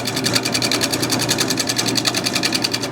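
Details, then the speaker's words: Woodturning lathe: rapid, even ticking of a few per second over the spinning blank as the tool, clamped on the tool rest, catches the high spot of an out-of-round blank still bearing bandsaw marks. "need to hear that ticking that's the high spot"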